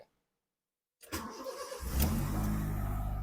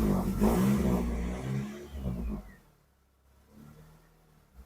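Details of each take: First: Honda City automatic with erratic idle, after cleaning and refitting the ISC valve: starter whirr, engine catches and idle rises straight up steadily with no dip; normal start, idle to settle as engine warms. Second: Honda City automatic with unstable idle: engine is blipped, then falls away unevenly, sags and dies within seconds; it restarts hard, needs throttle, and stalls when shifted into gear with the brake on. Dirty ISC idle control valve suspected; idle possibly tampered with previously.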